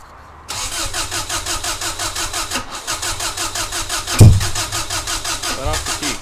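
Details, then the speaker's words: Freshly installed EJ20G engine in a Subaru wagon with a Robtune ECU, 4-to-2 ignition converter and MSD coil pack cranks steadily with a brief catch but never starts; a map sensor code shows the ungrounded MAP sensor was missed during wiring. "so what we need to do is we need to ground the map sensor that's why I'm getting a map sensor code"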